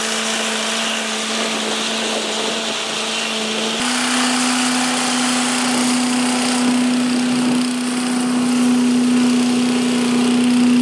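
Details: 1985 Billy Goat leaf blower with Briggs & Stratton 8HP single-cylinder engine, after new spark plug, oil change, air filter and replacement fuel tank: steady high buzz settling to a slightly higher even speed, no stumbling; started easily, runs well.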